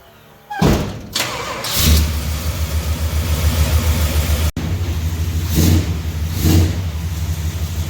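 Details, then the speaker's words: Dodge 400 big-block V8 after head removal for exhaust bolt hole repair and new spark plugs, running outside on its wheels: fires up quickly, settles to steady even idle with clean blips; normal running and revving. "so all right now that i see it outside on its wheels i kind of want it big block drive long bench it even sounds like something i would [Music] drive"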